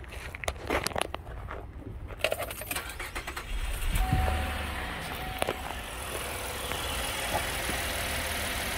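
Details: 2013 Chevy Equinox that stalled and ran rough after refuelling from flooding: started with a vacuum gauge on the purge line, which now reads zero vacuum. Keys rattle, it cranks, catches and settles into a smooth, even idle with no stumble. Normal idle.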